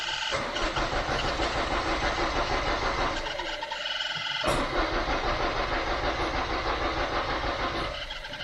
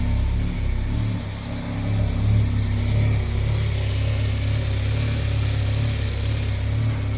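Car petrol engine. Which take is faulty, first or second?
first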